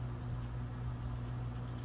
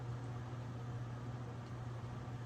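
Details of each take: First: General Electric Standard fan circa 1927, on solid-state speed control edging toward higher speed: steady low motor hum with faint rough rumble as bearings start making noise; owner expects them to quiet with use. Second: General Electric Standard fan, circa 1927, after repair, on low speed drawing 1.03 A and 35.2 W: steady low hum at one even pitch with a quiet airy background; normal old fan motor hum.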